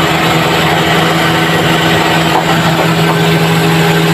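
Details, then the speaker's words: Suzuki Transformer after service (new oil, oil and air filters, aircon low/high-side hoses, tensioner bearing, freon recharge): steady even hum, no belt squeal or rattle with aircon on and blowing cold; noise gone. "Okay, wala nang ingay. Ang mekaniko na lang ang nag-ingay-ingay. Yan, naka-aircon na. Malamig na rin."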